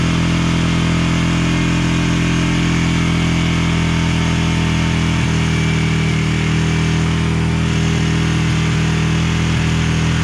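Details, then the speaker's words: 1999 Honda TRX 300FW ATV after years sitting with bad gas, first run, on choke, air box lid off: single thumps fairly steadily but with a ragged, uneven beat, still rough; owner wonders if it's tuned for the lid. "well it runs just not perfect yet I just want to try to clamp this on there maybe maybe it's tuned for the air box lid I really don't know"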